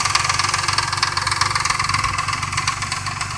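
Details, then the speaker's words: Truck at startup on the first day of a Marvel Mystery Oil treatment: a light, regular tick at about two and a half per second over a steady idle, quieter at first, then getting louder again; lifter tapping suspected by a friend, not confirmed. "it's not as loud as it was it's like right off the bat like now it's getting louder again"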